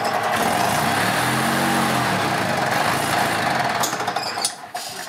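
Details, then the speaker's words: 2006 EZGO TXT gas golf cart, formerly a crank no-start from water in the fuel, after the repair work: the single-cylinder engine, in neutral, runs at a fairly steady speed with no stumbling or misfire, then fades out; it sounds healthy. "seems to be running pretty good now"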